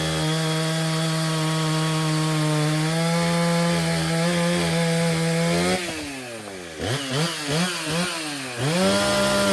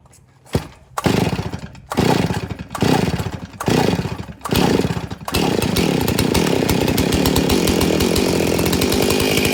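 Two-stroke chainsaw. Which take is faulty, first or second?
second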